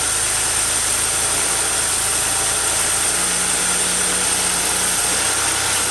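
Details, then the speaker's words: 2002 Mercury Sable after ignition overhaul (new plugs, wires, coil pack, valve cover gaskets and seals), first start at idle: steady airy hiss over a smooth idle, suspected small vacuum leak near the EGR valve, not found. "a little vacuum leak by the EGR let me fix that"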